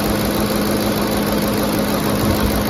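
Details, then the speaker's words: 2010 Ford F-150 SuperCrew 5.4L Triton 3-valve V8 after replacing VCT solenoids: started on choke, ran high RPM, leveled down to idle; smooth, steady hum, no misfires, vibrations or leaks, normal ticking; normal healthy idle. "Started on choke, ran high RPMs, leveled down to idle. Smooth. No vibrations. What do you guys think? Sounds good? Healthy engine?"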